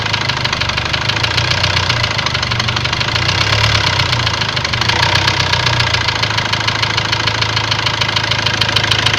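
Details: Ford Transit diesel at idle: sharp metallic knocking, fairly quick and unevenly spaced, over the idle. Later a warning light came on, revs stopped rising, and codes read high-pressure calibration data, cylinder balance and a leaking injector. Source not pinned down.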